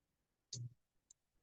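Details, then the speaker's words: Arduino Maker carrier water-level control lab right after code upload: one sharp relay click then a fainter second half a second later in a quiet room; relays switching normally. "We hear the relays clicking a little bit, and somehow miraculously, this thing seems to be doing something."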